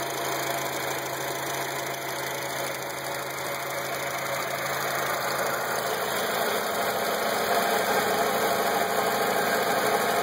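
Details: Acura TSX at idle: a fine, fairly even ticking at about two and a half per second over a hissy engine hum; the weird noise's source is not identified.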